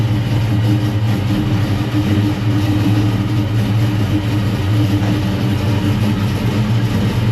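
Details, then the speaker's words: 1969 Comp Cams Camaro V8 on Driven racing oil, cold start after sitting a while: settles into an even, deep idle with no knocks, misses or ticks; sounds healthy. "all right let's fire this thing up see what it sounds like let's listen how smooth it is with that driven race noil in there it's going to take it a second it hasn't run in a while"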